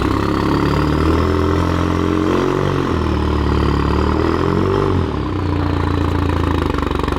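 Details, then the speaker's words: $300 supercharged Mazda Miata drift car, test drive in snow: engine running with odd wavering uneven note that comes and goes, then fully disappears; intermittent abnormal noise, cause unknown. "And then it goes away. And then it just fully went away. What is that sound? No car has ever made that sound before."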